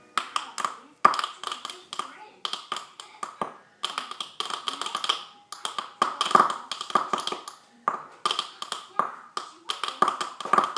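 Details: iMac that works for days then freezes its screen: rapid clusters of sharp pops and clicks repeating every second or so with silent gaps; hard drive or RAM suspected by others, cause unconfirmed.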